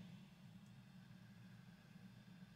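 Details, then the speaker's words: 1960s Magnavox suitcase record player transistor amp, already recapped, with constant hiss in one channel regardless of volume: a steady hiss over hum that rises when the transistor coupled to Q203's collector is heated and drops when frozen, indicating a leaky transistor to replace. "that one definitely makes it louder if i heat it up and then again if i freeze this guy that makes the noise go down"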